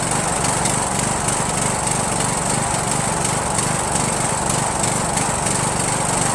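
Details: Rebuilt Briggs & Stratton 17.5HP engine (replaced two broken balancer counterweight links) repowering a Yard Machines lawn tractor, first start on choke, no belt pulley: uneven, lumpy running at three to four pulses a second with irregular popping; owner suspects carburetor.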